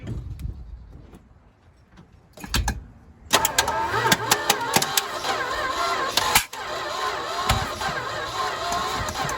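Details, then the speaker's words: Old truck that hasn't run in a while, fed from a gas can: sluggish, uneven cranking that drags without catching and a strong smell; slow cranking, owner suspects the battery. "All right, something's not right because it stinks to high heaven and it's turning over really slow."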